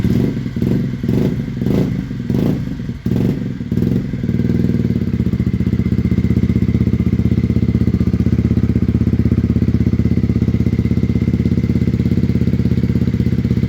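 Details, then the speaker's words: Honda CBR125R single after gearbox repair and coolant top-up, started with no choke: after a few blips it settles to a smooth, steady idle with an even low beat; normal idle. "Well, I'm not going to lie, that sounds absolutely beautiful. And that's no choke."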